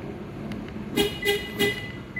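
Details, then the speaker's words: 2023 Toyota Agya alarm, attempting silent-mode setting via door open/close timing sequence: three quick horn chirps about a third of a second apart; silent mode setting not accepted, alarm still sounds. "belum berhasil Oke kita ulangi lagi kita buka pintu sekali Oke kita mulai intervalnya harus pas ya teman-teman"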